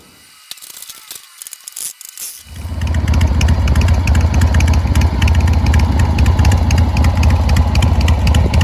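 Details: Harley Shovelhead V-twin just after a new clutch, new spark plugs and a charged battery, fired up before a test drive; starter cranks briefly, then it catches into a loud, even, loping idle of about four beats a second; normal idle.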